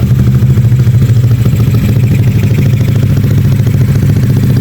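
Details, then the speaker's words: Yamaha Aerox 180cc bore-up with RX7 63 mm block, engine rebuilt after running rough a year after bore-up: deep, steady single-cylinder thrum, even with no knocking or rattle, before shutting off; now smooth again. "alhamdulillah suaranya juga halus lagi ya tadi pertama suaranya kasar sekarang udah halus lagi"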